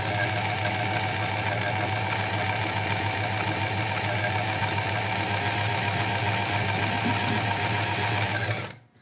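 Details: Astralux M10 sewing machine, brought in because its motor hummed but it would not sew. After repair and thread-tension adjustment it runs with a fast, even whirring hum and a steady needle beat, no knocking or grinding, then stops cleanly; normal running.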